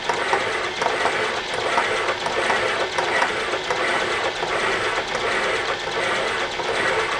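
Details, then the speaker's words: Boring a wood chipper flywheel bore past arc-welded, hardened cast iron spots: repeating scrape and chatter about eighty a minute, sounding interrupted but less crunchy, now almost a full, even sweep around the bore after earlier passes broke the bit. "You can start to hear more of the sweep now."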